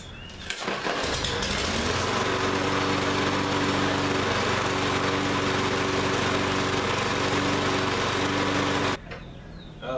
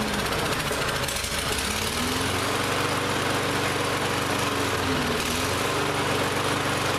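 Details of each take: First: Lawn-Boy lawn mower that ran last season but wouldn't start this season, restarted after service and blade sharpening: engine runs at a steady, even speed with a smooth buzz, no knocks or vibration, then shuts off; healthy, no other problems. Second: Lawn-Boy mower that ran last season but wouldn't start this season: engine speed hunts up and down every second or two, never settling; runs rough because the carburetor is still partly gummed up, carb cleaner next.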